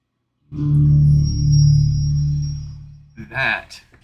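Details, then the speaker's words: Factory-reset Apple HomePod after repair: soft, low swelling setup chime plays cleanly with no crackle, buzz or distortion; speaker output healthy. "all right so this one's already factory reset we're just listening to see if that setup Chime sounds nice and"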